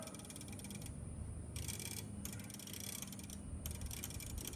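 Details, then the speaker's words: 1940 Bally Mascot pinball machine timer-like mechanism, pushed in by hand: fine mechanical ticking in uneven bursts with short stalls, sticky and not working well, loosening with use. "This is like a timer, right? So you push this in and it actuates that. Although it's not working very well. It's loosening up the more I play with it. But hear it ticking."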